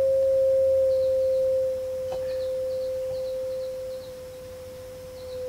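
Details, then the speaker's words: 1976 Playmaster kit amplifier (Dick Smith kit) fed a clean sine from a signal generator: pure steady tone around 500 Hz with no buzz, crackle or distortion; clean signal reproduction. "So there we have just a sine wave, which must be around that 500 odd hertz that we've got showing here."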